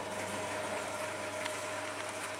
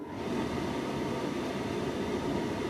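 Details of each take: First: Tumble dryer in test mode on start and low heat, broken program dial, codes E18/C08 shown: quiet even mid-pitched motor hum with no knocks or scraping; motor works normally. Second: Tumble dryer No. 40, motor running: steady, even whir with no drum thump or tumble, motor spinning freely because the drive belt is missing; program dial no longer works.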